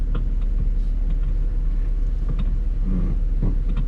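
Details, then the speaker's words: Steering shaft U-joint on a 17-year-old 2008 Ford Escape Hybrid: scattered light clicks, creaks and klunks with each turn of the wheel over a low rumble. The steering wheel has a lot of play. Cause is a worn steering shaft U-joint under the hood. "there's a lot of play in the steering wheel and I don't know if you can hear the little clicking sound but it's definitely there so we took a look under the hood and the culprit is a steering new [Music] joint"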